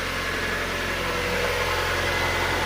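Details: 1999 Miata, 160,000 km, after a no-start with spark but no fuel was fixed by installing a used fuel pump and sender unit: smooth, even idle with a low steady drone, no misses, knocks or stumbles; normal idle.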